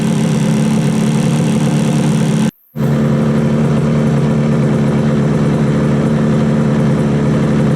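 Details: 1968 Yamaha YAS1C 125 two-stroke twin after carb sync and timing work, air screw set to 1 3/4, both exhausts warming: steady even idle burble with a brief dropout, sounds balanced, normal idle.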